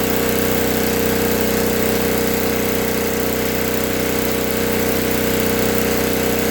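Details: 1964 Lincoln Weldanpower 150 AC welder/generator (year guessed) cranked to high rpm welding 6011 rod after a new coil, condenser, plug, plug wire, fuel line and filter, and reset points. The magnet had been rubbing the coil. Loud steady roar with an even firing beat, no knocks or misses. Healthy.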